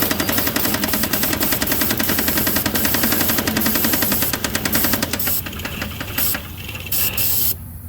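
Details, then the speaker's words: Toyota Supra 7M engine first run after sitting since 1995: hard, regular knock about three to four per second over rough running until shutdown; worn rod bearing, not a main. "We got a rod bearing that is not happy. That's not a main. It's got jokes. It said knock knock."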